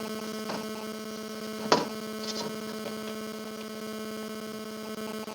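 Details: Refrigerator compressor running after flushing, capillary and leak repair on punctured evaporator, oil and gas recharge: steady low hum with faint clicks; low amperage, running evenly and healthy.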